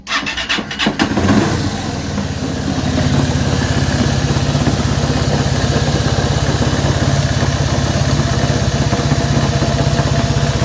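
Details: Honda CB190R starts, then settles into a fast, uneven idle with a loose ticking clatter riding over the exhaust beat; abnormal engine noise, source not yet pinned down.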